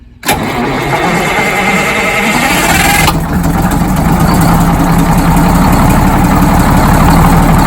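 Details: First start of a freshly rebuilt Detroit Diesel 6-71 in GM bus 3751, after new liner crush sleeves and O-ring head gaskets: cranks briefly, catches and settles into a steady, even low idle with no knocks or misses; healthy start.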